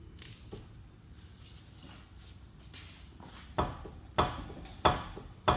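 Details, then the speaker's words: 2004 Honda Civic Si, 2.0-liter manual, front driver side rocked by hand gives four heavy quick clunks; dried-out worn lower ball joint with large play, also clunking in cabin when turning. "The lower ball joint, it's so bad, it's so dried out and worn. It's a huge play."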